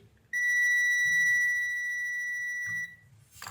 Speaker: burada süreklilik varsa bip sesi geliyor o sırada hatta herhangi bir komponentte kısa devre var